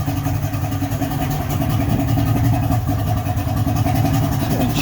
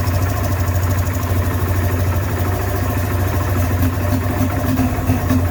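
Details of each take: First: 55 hp Johnson three-cylinder two-stroke outboard after teardown and carb adjustment; steady, even burble with no misses, firing cleanly on all three cylinders, with no fuel leaking from the carbs; owner thinks it's fixed. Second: Johnson 55hp two-stroke outboard that had been submerged, run after a silicone repair and not yet tuned. It idles with a ragged, uneven burble and occasional stumbles. It sounds better than before but still runs rough, and the carburettors need adjustment.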